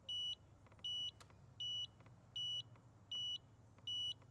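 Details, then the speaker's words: Pride PX4 outdoor mobility scooter that kept tripping its circuit breaker from seized front disc brakes: repeating high-pitched beeps about one per second, a controller fault beep code read to identify the fault. "This is good to hear. Hear that beeping noise? This tells us what could be wrong with it."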